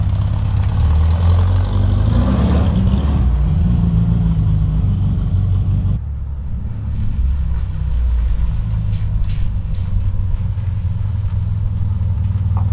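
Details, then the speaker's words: 1967 VW Beetle after swapping intake manifold, carburetor and distributor, first drive: low flat-four rumble with scattered pops and stumble on throttle; owner suspects lean running or valves. "So I took it for a drive. As you heard, it's still popping. It still doesn't want to take the throttle when I stab it."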